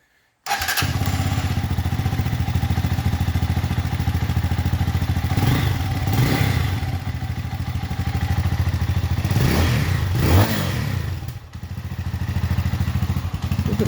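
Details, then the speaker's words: Lifan Xpect single-cylinder motorcycle at 1,100 miles, first start after valve adjustment (had been running a little off; intake set 0.06 loose/0.07 tight): fires right up, steady even thumping idle, no ticking or clatter; normal idle. "okay hopefully there we go oh yeah okay fired up"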